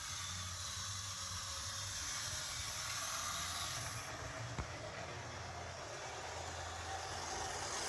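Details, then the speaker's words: Vintage DC HO scale Jersey Central A unit locomotive run forward and reverse on track: steady soft whirr with light hiss from motor and gears, even and unbroken; sounds healthy. "we know this one runs it's going all right we get some backwards action too"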